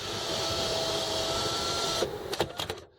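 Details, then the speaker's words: 2001 Land Rover Discovery 2, 102,295 miles, engine running; front power sunroof opened fully then closed: steady electric motor whir, then clean clunks as panel seats; normal power sunroof operation. "this is the front sunroof we're going to open it all the way and now we're going to close it"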